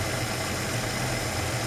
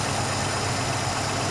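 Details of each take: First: Ford Capri Mk I 3000 GT XLR 3-litre, carburettor tune-up: idle wavers and sags with thin uneven note as mixture is set too weak; revs drop, running lean at tickover. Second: Ford Capri Mk I 3000 GT XLR 3-litre during carburettor tune-up: steady even idle with no hunting or misfire as mixture screw is unscrewed with no change in revs; mixture about right, left there.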